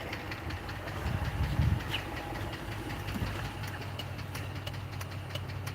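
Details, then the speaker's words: High-mileage (about 262k) Chrysler 3.5 V6, not a 3.6 Pentastar, at a quiet, steady idle: a light, fast valve-train tapping in time with the engine, attributed to worn lash adjusters and considered harmless to live with. "Y'all hear that ticking noise? This is not a 3.6 Pentastar, guys. This is a 3.5."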